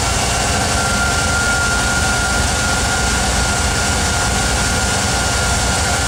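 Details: VW Vanagon 2.1 with a thin, steady, high-pitched hum from behind the instrument cluster riding over the engine noise whenever the throttle is advanced.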